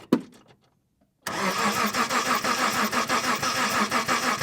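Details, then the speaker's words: 1990 first-generation Mitsubishi Montero, six-cylinder manual, after ignition coil swap: starter spins the engine at a steady even churn, about three turns a second, never fires, strong fuel smell; crank, no start, no spark suspected. "I'm getting uh I'm getting nothing but let's see if I I can definitely smell gas terrible terrible gas okay go ahead and do it again nothing"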